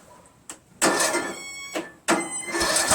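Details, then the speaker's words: Craftsman lawn tractor after rebuild with carburetor, manifold, linkages, muffler and flywheel reinstalled, cranked with choke on; two bursts of cranking with brief sputters that never catch. Won't start; owner suspects timing is off. "well we saw some sputtering over there I'm feeling the timings off"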